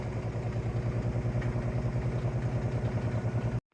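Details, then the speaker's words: LG washer after replacing a bad drain pump that had caused an OE no-drain code, final spin after all rinses: a low, steady hum with a soft rhythmic pulse about three per second, even and free of knocks or grinding; a healthy spin. "All the rinse cycles are over. We are on the final spin cycle now."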